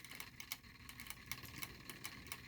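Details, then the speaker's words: 3D-printed Newman pulse motor, smaller prototype about 40% scaled, at about 2.6 volts: light crisp ticks about four a second over faint hum, still going; normal running at low voltage. "2.6 volts let's drop it down again 2.3 still going that is nice"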